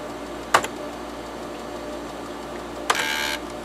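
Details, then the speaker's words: Used TEAC FD-505 3.5/5.25 combo floppy drive, 5.25 side double-density alignment test: sharp clack then half-second buzzing chatter as head steps across tracks; alignment holds, drive healthy. "Okay, and the alignment is not getting off at all as we move the head around."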